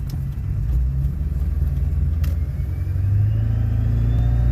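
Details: Ford Powerstroke diesel: deep rumble with a thin, high whine that slowly climbs in pitch as revs build; the whine comes from the engine, source unclear.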